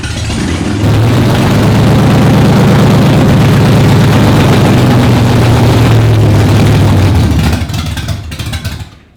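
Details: Stroker Windsor V8 in a Fox Body, first start after install: catches and runs with a lumpy, uneven beat for several seconds, then sags and dies; won't hold idle without throttle babysitting.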